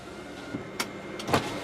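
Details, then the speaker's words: 2001 Hyundai Santa Fe GLS 2WD, 192,776 miles: right rear power window motor whirs smoothly with clunks at the glass stops; working properly. "all right let's start off with our power windows that's right rear"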